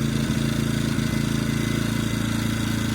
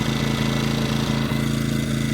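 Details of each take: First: EcoFlow dual-fuel generator engine running on propane with regulator adjusted correctly: steady, even low hum, smoothing out after rougher running when set too far out. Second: Ecoflow dual-fuel generator on propane, regulator turned out about a turn and a half too lean: engine chugs unevenly with stumbles, starting to die off, not running smooth.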